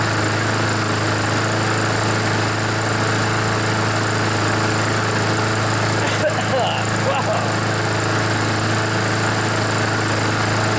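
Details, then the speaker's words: Junkyard Poulan lawnmower with Honda GCV engine, oil-soaked air filter, previously hard to start and smoking; now running on partial choke, steady even single-cylinder hum, no knocks, while oil burns out of the muffler within a minute or two. "so you can see it only took a couple of minutes maybe just one minute one or two minutes for all that oil to burn out"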